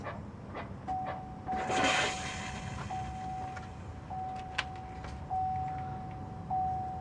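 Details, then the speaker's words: GMC Canyon / Chevy Colorado diesel, key in accessory mode after a fuel filter replacement at 15.5k miles: a faint steady tone hums in short repeated bursts over a quiet background as the fuel pump primes normally. "and the last thing you gotta do is you gotta put into the accessory mode so Prime's the pump it'll make a goofy noise and I'll record that and crack yourself a beer"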